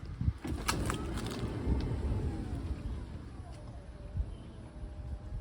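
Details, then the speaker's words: 2015 Toyota Sienna power sliding door on the side that was not worked on; the motor whirs as the door rumbles along its track and closes fully but slowly at the end, and the owner thinks it could use grease. "pretty slow at the end this one probably could use some grease too"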